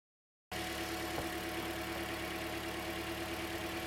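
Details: 2009 Toyota Corolla after water pump replacement (old pump made a mean noise), serpentine belt and alternator refitted: engine catches and settles into smooth even idle, steady hum, no bearing growl or knock; healthy.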